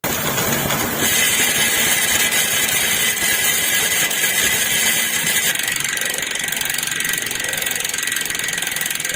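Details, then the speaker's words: Speed One Sniper freehub, magnetic star-ratchet type (magnet only, no spring), freewheeling with a dense, high-pitched ratchet buzz; it clicks loudest at low speed, and the star ratchet stays nearly open at high speed; normal freehub ratchet clicking. "So si magnetic ratchet malakas lang yung tunog niya kapag low speed. Mas pumipitik yung star ratchet niya."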